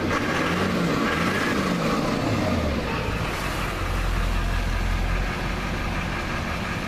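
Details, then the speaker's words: 2004 Chevrolet Silverado 2500 HD Duramax diesel 4x4, about 76,500 miles, no warning lights, running: steady, deep, even diesel idle clatter with a smooth low rumble, no misses or knocks; healthy. "Truck's running, so you can probably hear the roar of that Duramax diesel."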